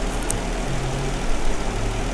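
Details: Jeep Wrangler idling with P0304 cylinder 4 misfire; coils and injector already swapped but the miss stays on cylinder 4. Dealer blamed the engine computer, yet oscilloscope shows injector pulses present. Deep idle rumble with an uneven, lumpy beat; cause unconfirmed.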